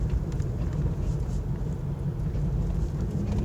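Low, constant droning rumble under the road noise that holds with road speed rather than engine revs; typical of worn front wheel bearings.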